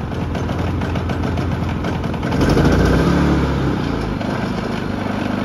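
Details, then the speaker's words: Harbor Freight Predator 3500 inverter generator with erratic output (zero, normal or high voltage), reading 126 V: the engine hunts and surges unevenly; running badly, and the carburetor needs cleaning. "all right so the generator starts and it's producing 12 6 volts according to the the screen but you can hear that the generator is running really bad the carburetor needs some cleaning most definitely"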